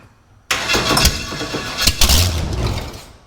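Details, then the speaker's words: Big block Chevy jet boat engine, first start attempts: sluggish, uneven starter churning about three seconds that never catches; battery already drained by repeated cranking. "Come on, baby. Run for me for a minute. No, killed the battery already."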